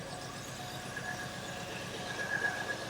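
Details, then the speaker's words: Cadillac Allante flooded in Hurricane Ian, on its first crank after the flood: uneven, stumbling idle with irregular low pulses about four a second, not yet clearing; owner expects it to clear once fuel gets through the fuel system. "she'll clear up she'll clear up it's got to get fuel through the fuel system"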